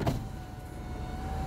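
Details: 2009 Mini Cooper Mayfair 50, 47k miles, electric window with one-touch operation; smooth steady motor whine at even pitch through full travel, ending with soft stop: power window motor working normally.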